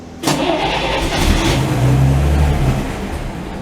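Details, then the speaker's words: 1949 Chevy truck not started for a few days to a week, possibly low on gas, pedal pumped three times: starter cranks with uneven catches as the engine tries to fire but won't pick up; a hard start after sitting. "Oh, it's trying. One more again."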